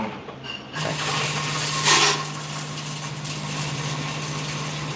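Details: Vibrating hopper dosing coffee beans; steady low buzz in short, even feed cycles with beans rattling through; feeding normally.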